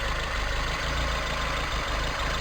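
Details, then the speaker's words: 1987 Toyota Tercel 4WD carbureted engine at steady, even idle with no hunting or stumble after fixing a vacuum leak near the filter and rerouting vacuum hoses; idle dropped from about 800 to 700 rpm. Normal idle. "Oh fixing the vacuum lake there dropped it down to 700 from a higher to 700 rpm"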